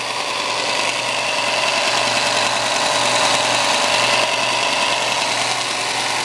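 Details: New Shop Fox W1855 benchtop belt sander at first run: a constant motor hum under a smooth, even belt hiss, with no rhythmic thumping or rubbing. No wobble is seen and belt tracking is good, so it runs smooth and healthy.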